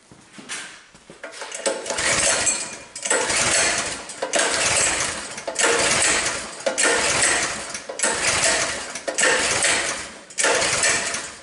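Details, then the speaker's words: Coleman BT200X minibike, after a crash tipping it in mud, tends to go full throttle: single-cylinder revs climb and fall about every second. Linkage tension on the governor arm pulls revs up; surging idle. "it watchs the idle nicely when I let go of it they pulling on that Governor arm making that engine want to rev up"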